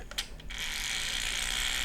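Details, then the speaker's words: TRX-4 crawler on the bench with 1800Kv brushless motor and piggybacked Crawlmaster Mini ESC, spinning slowly under no load: sharp ratcheting clicks then steady high gear whir; pinion chattering from heavy drivetrain lash. "And you can hear, there we go. You can hear that pinion chattering under no load."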